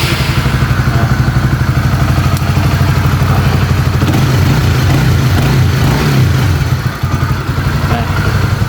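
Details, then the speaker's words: Honda CB150R (2016 or 2017, LED model) after repair of camshaft-area ticking: steady, even smooth idle with a quiet mechanical background and no top-end ticking. "Ya beda dari sebelumnya sekarang udah halus jadi jadi pokok permasalahannya hanya di bagian Oken As ya"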